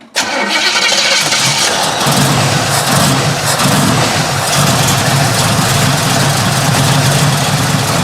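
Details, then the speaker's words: 1967 Chevrolet Camaro, 327 small block bored .030 over, Edelbrock high-rise intake, Holley carb, headers into Flowmaster exhaust, 350 Turbo transmission: starter whirs briefly, V8 catches at once and settles into a deep, steady, even idle; normal start. "That sounded real good. That sounded real good. It's been a great car for us."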